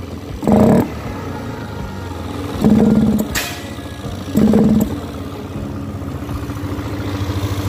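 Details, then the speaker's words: Young Yamaha Aerox 155 scooter: three quick throttle blips from idle sound muffled and flat, bogging and hesitating instead of revving spontaneously; starts and idles fine, cause still being checked. "jadi seperti itu bosku ya, motornya itu nggak bisa gas spontan alias nguok gitu bosku ya di putaran awal."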